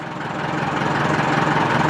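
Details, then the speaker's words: Massey Ferguson backhoe, year unknown (probably 1970s), idling: even, steady low diesel chug, no knocks or misses, "purring like a kitten"; hydraulics not working (suspected low fluid), no forward gear though transmission fluid is full. "But it runs really smooth. Like right now, she's just idling away, purring like a kitten."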